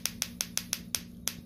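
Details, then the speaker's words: Bench trigger test of a Mercury outboard distributor (to be featured on a 1972 Silver Block 1150), rotated by hand: crisp, sharp, clean snaps about six a second; the trigger sparks every rotation, so the trigger is good. "Okay, we're just testing to make sure. Yep. And every time you rotate this, it should spark."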